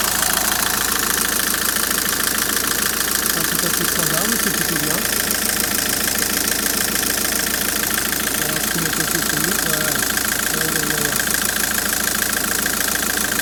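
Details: 2008 Citroën C5 at idle after AC hose seal replaced and test recharge with tracer: steady compressor and blower hiss, no cycling or rattle, about 14°C outside; air conditioning cooling normally.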